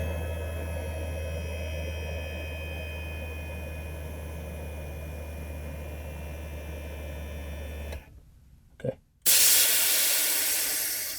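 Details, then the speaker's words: 2008 Mercedes CL63 AMG (C216) dynamic seat air pump in the trunk, newly replaced, with the lines blocked off for testing. A steady electric hum runs evenly, then cuts off cleanly once pressure builds. The pump and its pressure cutoff work normally. "That built pressure. That's good. Um so, it does stop when it builds pressure."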